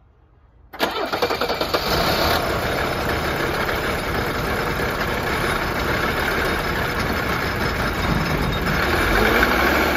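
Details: Old Mercedes 300D diesel after new glow plugs and relay check; quick crank, catches right away, settles into steady diesel clatter at idle; clean start, healthy running.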